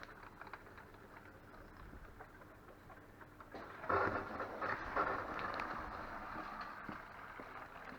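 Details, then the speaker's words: Dishwasher after pump repair, filling with water on test: quiet rushing water with patter and spluttering as air works through the hoses; normal fill noise. "Il y a de l'air dans les tuyaux. Donc ça fait pas mal de bruit. C'est normal."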